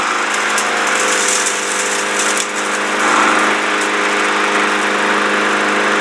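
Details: Lawn mower that wouldn't start, running after a flathead-screwdriver adjustment (engine won't fire without oxygen) and a five-time prime, clutch held: a steady even buzzing run with no misses, surging or knocks. Sounds healthy.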